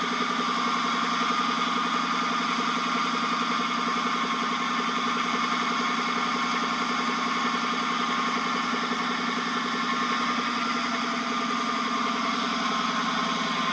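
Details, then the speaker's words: 2014 Dodge Charger Pursuit 5.7L HEMI, 5-speed automatic, about 116,000 miles, no mid mufflers, after driving through flooding: steady high-pitched scream from driveshaft tunnel rising with speed; owner first suspected carrier bearing, now believes U-joint. "but it actually uh turns out I believe the noise is actually coming from that U joint"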